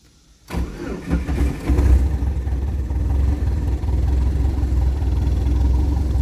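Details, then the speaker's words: Fully built turbo Pontiac Sunfire with water-methanol injection, push-button start: starter cranks briefly, engine catches and settles into a steady deep even idle with no knocks or misses; normal start and idle. "as you can see it does it does run"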